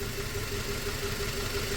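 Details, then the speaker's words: 2004 Toyota Tacoma 4-cylinder, 141,000 miles, idle: faint regular tick with an uneven pulse from a dead cylinder 1. Coils and plugs already swapped; the injector, which shows a good pulse, is suspected of cutting out when hot. "I'm gonna plug it back in just to make sure it's still misfiring. I'm pretty sure it will be."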